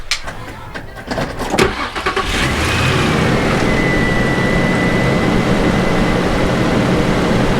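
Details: Infiniti G35 after repairing oil leaking onto the spark plugs. Brief crank, then the engine catches and settles into a smooth, even idle with a faint steady whine; sounds healthy after the repair.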